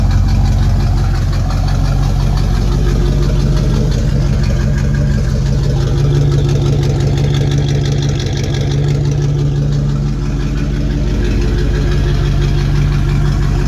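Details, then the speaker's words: Corvette idling on its old exhaust, missing one of its mufflers, before a new exhaust is installed: a loud, deep, raspy idle with a coarse throb around three per second. Exhaust leak. "yes oh it's got a nice dirty sound but the sound is from it not having one of its mufflers anyway so"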